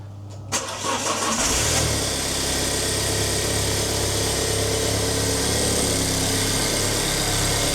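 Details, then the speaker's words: 2010 Alfa Romeo Giulietta QV 1750 TBI, first start after repair work with fresh oil and filter, cranked with plugs disconnected first to build oil pressure; quick crank catches, steady even idle, no knocks or rattles, no engine light; normal start and idle. "So we have no engine management light on, which is good, and the car is sounding good."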